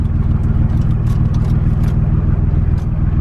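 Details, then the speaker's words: 2014 lifted Chevy Silverado just after a cold start, sat at least 24 hours: idle pulses evenly with no stumble; the intermittent cutting-out the owner reports is not happening at this moment. "not doing it now it's kind of weird"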